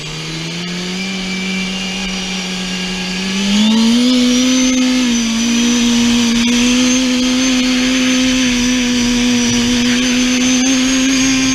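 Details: Twincharged engine, day two full-throttle runs, boost running away even on wastegate spring, about 20 psi: screams with climbing pitch, then brief sharp pops hitting boost cut limiter; knock found earlier and fixed, conservative timing.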